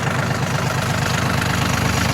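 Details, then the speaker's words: Yanmar RS 30 Japanese 30 hp diesel mini tractor: steady, even low diesel clatter at idle with no misses, knocks or excess smoke; engine runs smoothly. Battery slightly weak. "Двигатель, как слышите, работает ровно. Без лишнего выхлопа, дыма и так далее."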